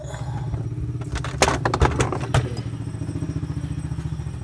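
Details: Washing machine tested with the back panel open during repair for a noise while spinning: low motor hum with an even pulsing agitation beat and a few stray knocks, no grinding; running normally.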